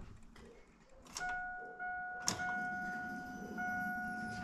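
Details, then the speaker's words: 2000 Chevy S10 ZR2 at key-on after installing a new OEM Delphi fuel pump and reconnecting the rear fuel-pump grounds, which had caused a no-start. A steady mid-pitched hum holds for several seconds: a clean, normal fuel pump prime. "Okay, guys, so electrical's hooked back up. We're going to go ahead and turn the key, see if we can hear the fuel"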